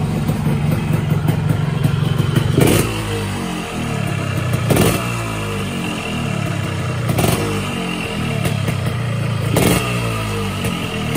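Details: 2007 Yamaha RX King two-stroke motorcycle, unused about 2–4 years, started after refilling fuel and a few kicks, previously repaired; steady even idle with low buzzy beat and short throttle blips, runs cleanly; clutch stuck and not working, to be repaired.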